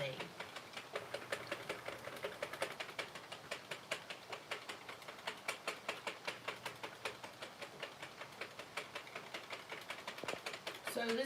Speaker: do you guys hear that popping noise that means I'm holding too much tension on the yarn